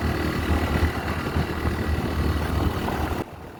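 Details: Honda Tornado single-cylinder motorcycle after valve clearance adjusted to 0.12 mm intake, 0.15 mm exhaust (had too much play): steady even thrum with no ticking or clatter; runs clean, reaching 115 easily.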